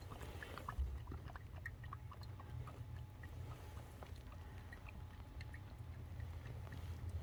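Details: KIA Sportage 1.6 petrol T-GDI idling after an oil change with a new sump plug crush washer; low even hum with a steady beat, no knocks or rattles, sounds good with no leaks.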